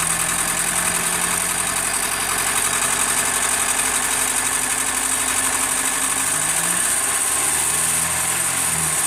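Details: 1991 Acura Integra that started knocking after a timing belt change, owner suspects from turning the crank over too many times; starts to a rough idle with an uneven knock about four a second, engine considered finished.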